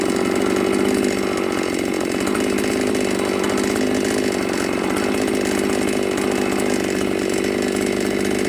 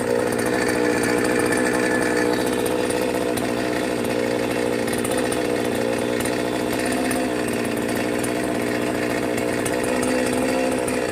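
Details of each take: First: New Magnum G11 chainsaw after removing the carburettor throat restrictor and reassembling the carb holds a high, even buzzing rev with no stumble or dying out; it now accelerates normally and is healthy. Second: Brand-new Magnum G11 chainsaw bought online, first run: drones at a strained pitch, won't rev cleanly, bogs and nearly dies on throttle; cause still sought.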